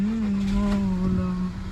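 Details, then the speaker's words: Skoda Superb petrol after replacing faulty ignition coil (earlier P0303 misfire, P0352/P0353 coil codes): steady, even idle with constant low hum, no missing at all, running smooth on all cylinders. "तो गाड़ी half self start है और missing बिल्कुल भी नहीं है पहले missing कर रही थी यह देख सकते हो आप बिल्कुल स्मूथ है"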